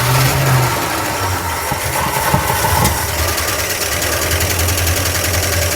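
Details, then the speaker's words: 1976 Dodge D100 Club Cab Adventurer, parked 13 years, first start: rough idle buried under loud, fast metallic valve-train clatter; owner suspects a bent pushrod or bad lifters and hopes the lifters pump up. "Wow, that sounds terrible. Lots of valve train noise. Wow. I think we got a bent push rod or bad lifters."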